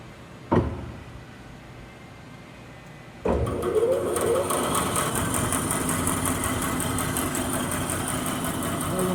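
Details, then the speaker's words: Late-model Grob 4V-36 bandsaw in low range, gear 2, about 420 ft/min. After motor start, a light regular tick about twice a second. The blade is straight; a poor blade weld hits the near-new blade guides. "Blade weld, Yeah, that's the blade weld's not so good, eh? Blade's straight, it's just picking up on that weld, Yep. hitting on the blade guides or something."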